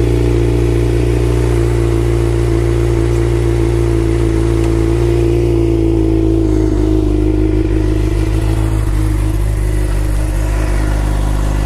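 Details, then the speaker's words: 2011 Suzuki GSX-R600 with a new, fully charged battery, after replacing the faulty starter relay that caused starting problems. The engine fires and holds a steady, even idle with no clicking or stumbling; running normally. "we have it guys fix theory which is up and running"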